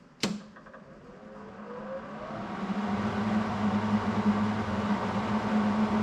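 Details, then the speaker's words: Hobart Handler 180 (Mac Tools 180) welder after cleaning: plugged into the wall and switched on, a click then a steady low hum with a rising whoosh settling into an even fan run; the cooling fan that had failed to come on now works normally. "plugged into the wall turn it on and see if the fan comes"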